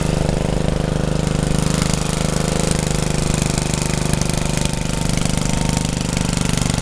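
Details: Rebuilt Troy-Bilt tiller under tilling load: steady, busy single-cylinder beat with constant low drone, pulling evenly without stumbling; owner saw heavy smoke under heavy load the day before and suspects blow-by past the rings.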